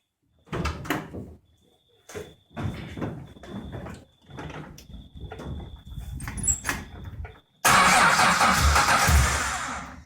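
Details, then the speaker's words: Chrysler Valiant 245 Hemi six rebuilt for a restored VH Valiant Charger, first start: several labored cranking bursts, then a rough, lazy run; ignition timing set too retarded, builder plans to advance it. "I'll just give it a bit more timing. Advance the cunt up a bit, they always fucking need it."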